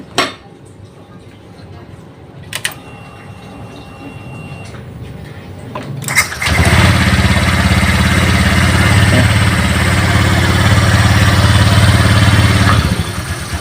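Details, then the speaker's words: Honda Vario 125 LED scooter that wouldn't start and flashed MIL code 12 (injector), after temporarily reconnecting the black-white wire: brief crank, catches at once and settles into an even steady idle, starting easily. "ya teman-teman hidupnya pun tidak susah Ya gampang Ya gampang lagi coba hidupin lagi gampang ya teman-teman ya hidupnya ya ya hidupnya gampang tidak susah"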